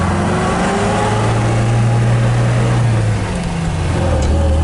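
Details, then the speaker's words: 1967 MGB GT, engine rebuilt 2020, electric fuel pump, 12-volt converted: deep, steady idle with an even low rumble, no knocks or ticks; starts right up, runs better warm; normal idle. "starts right up like all english cars it runs better when it's warmed up"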